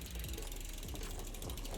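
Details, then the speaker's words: Whyte full-suspension MTB on stand during service, cranks turned: fast ticking rub as jockey wheel touches cassette because B-tension is too tight; chain bone dry, too much cable tension; needs backing off. "the tension looks wrong bone dry too much cable tension you can hear that b tension rubbing on there needs to come back a bit"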